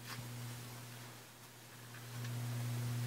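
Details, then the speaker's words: Late-1970s Pioneer Rando 2000 stereo receiver, long stored in a basement, with a steady low mains hum louder with bass up; pressing a bad solder joint stops the hum, releasing it brings it back. "An issue right here when I touch this, and if I press it, the humming stops. See, there's no more humming. I let it go, the humming returns."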